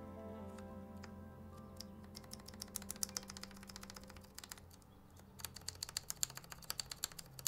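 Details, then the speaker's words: KBD75V2 keyboard with brass plate, 67g Zealios V2 switches lubed with Krytox 205g0, lubed Zeal stabilizers: crisp even key clacks with clean returns on long keys, no tinny buzz; stabilizers rattle-free. "no rattle anywhere how to check if it's rattle or not"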